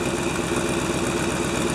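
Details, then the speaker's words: 1997 GMC Suburban V8 at idle, about minus 6 degrees: rhythmic puffing tick riding each firing pulse from an exhaust leak after the catalytic converter; owner considers it minor and not yet repaired. "There's a look at the exhaust leak that I have, but that's after the catalytic converter."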